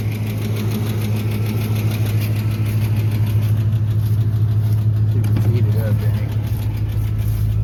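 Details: Truck at idle, cool 61°F morning, oil pressure still good: sharp, regular ticking at roughly three per second keeping pace with engine speed, slowing as it warms; owner suspects oil-related or the power steering pulley, unconfirmed.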